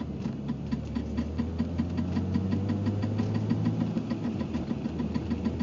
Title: 325ix clicking noise